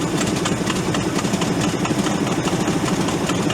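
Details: Ford F800 crane truck, engine formerly locked up, first start on gasoline poured into the vent with the intake sprayed: uneven, lumpy idle that stumbles and surges before smoothing out. Rough running.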